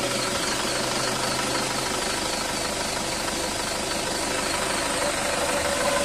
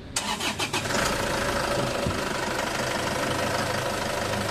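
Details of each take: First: Isuzu Traviz diesel, fan belt squeals on engine start, worse with aircon on; belt adjustment checked OK and belt still in good condition, squeal heard over the engine clatter, likely from muddy operating conditions. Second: Isuzu Traviz diesel after fan belt fix (belt teeth treated; owner's complaint was fan belt whistling at start, worse with aircon): engine cranks briefly, catches and settles into steady clattering idle with no belt squeal or whistle.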